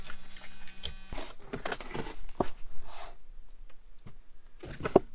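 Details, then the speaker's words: 1986 Ford Mustang GT bought as a parts car: the old aftermarket alarm system's buzzer gives a steady droning buzz for about a second, then cuts off into cabin clatter. "oh yes we got like a an alarm system so that gotta love those old alarm system sounds"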